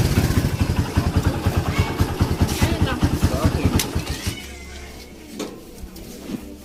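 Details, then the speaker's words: Kawasaki Barako 175 single-cylinder: uneven lumpy beat that stumbles and dies after a few seconds; stator to be checked. "so narinig niyo yun mga best friend No yung under na nating barako parang kinakapos parang nag-uumpugang ba to non"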